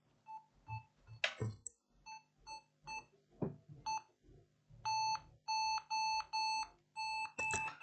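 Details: Lenovo ThinkPad Yoga 11e with no display, fan spinning after BIOS and main battery reconnected and BIOS reset: short high beeps repeat at about two a second without letup; failing startup check, RAM suspected, not confirmed.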